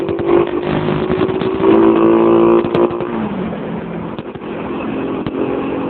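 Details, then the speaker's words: Motorstar MSX 125S single-cylinder on a test ride after tuning valve clearance and carburetor, fourth trial; revs climb crisply without misses, popping or rattles, accelerating well and sounding healthy. "kasi mukhang goods naman siya mag accelerate maganda ring ano medyo maganda ring"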